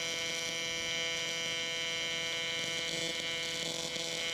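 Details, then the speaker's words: Miller Dynasty 300DX AC TIG on aluminum: steady high buzz with a few faint pops because the aluminum is still cold; let it heat up more. "hear how it's popping like that it's cuz it's cold you gotta let it heat up more"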